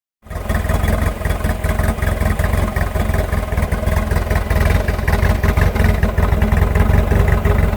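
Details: 1986.5 Nissan Hardbody at idle: heavy low thumping with an uneven, stumbling, lurching beat; rough idle, cause unknown.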